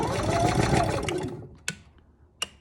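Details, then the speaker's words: Camper generator with auto choke: chugs briefly then dies, two sharp clicks of another try; hard start, keeps cranking without catching. "turn this back on we'll keep doing this until she starts i guess it could be a long video"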